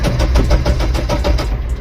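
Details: Mahindra Bolero Maxx Truck Plus BS4 diesel with no check engine light, rail pressure reaching 275 bar and crank rpm reaching 200 on the scanner: steady starter cranking with even compression pulses, about five a second, never firing; the cause is a blown ECU supply fuse.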